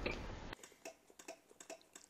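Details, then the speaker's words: Honda Benly 110 scooter, nearly 60,000 km, stalled while riding: after a burst of noise, sharp dry clicks about twice a second with no cranking; starter relay clicks but starter motor never turns, suspected burnt out from forced starting. "자, 들리시죠? 딱딱 딱딱 딱딱 안 걸리잖아요. 이게 안 걸려요, 시동이."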